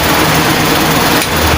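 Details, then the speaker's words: Pedestal fan motor after new bushings fitted, formerly noisy from up-down play and a worn front bush, running on first speed: smooth steady whir with even airy hiss, no rattle or knocking; runs silently. "ये पहली speed है इसकी। ये देखें दोस्तों बिल्कुल बेआवाज़ चल रहा है।"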